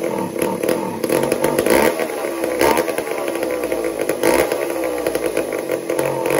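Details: Old McCulloch 1-10 chainsaw: two-stroke buzzing and surging as throttle is blipped, revs rising and falling while tuned toward steady normal idle.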